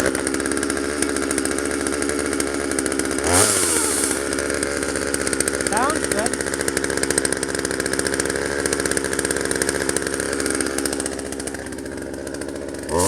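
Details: 1997 Poulan 2150 chainsaw, 23 years old, about 10 lb; little used; dull chain cutting box elder tops. Steady high-rev buzz with brief dips as it bites wood, pulling evenly; normal running under load.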